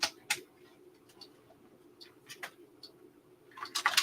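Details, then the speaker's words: TRS-80 Model 4P power supply, board powered back on: irregular sharp chirping clicks over a faint low hum as the supply keeps tripping in reset because of a dead short on the board. "did you hear it clicking it's full on shorted now 100 it was it was in reset trip absolutely short on that board"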